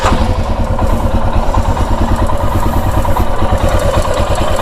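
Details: Royal Enfield Himalayan single idling: a light, quick ticking over the thump from the top end, suspected timing chain noise.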